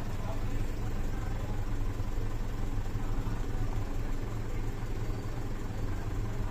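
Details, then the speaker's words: Mitsubishi Fuso 4P10F1 diesel after a no-start fixed by a reset, check engine light now off: steady, even idle held slightly high with no misses or knocks; fast idle after start, waiting for RPM to settle. "yan Mga tol taas yung RPM natin hintayin natin hinto lang yan"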